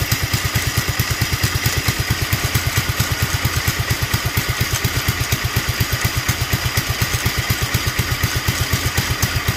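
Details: Duromax 18hp single-cylinder engine with an upgraded intake and air filter, after the idle screw was turned up and the choke opened with a little throttle: uneven, lumpy chuffing about three beats a second, barely holding idle and near stalling.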